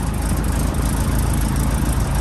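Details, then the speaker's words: PA-18 Super Cub Lycoming O-320, first start after reassembly, cold start with throttle cracked slightly and mixture rich: steady, even low rumble at idle, no misses or knocks; oil pressure came straight up; healthy. "Hand on the throttle. There we go, we have light off. Oil pressure's come straight up, that's"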